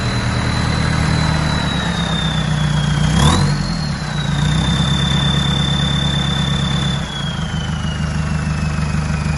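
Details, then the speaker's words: Mercedes Sprinter diesel with the catalytic converter removed just after the turbo: a loud, steady high whistle over the diesel idle, wavering slightly with revs. Turbo whistle made louder by the missing cat. "Sounds so much better without a stupid cat just off the turbo. And that's what it sounds like. Sick."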